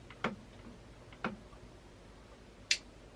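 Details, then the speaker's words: Relay in a fuse block being wired for a 2JZ to E46 BMW swap, first not clicking, then clicking when switched on; two crisp clicks then a sharper snap, a normal relay switching cleanly. "as you see it's not clicking and when i switch this it should click yep i think you can hear double click look now it's gonna click"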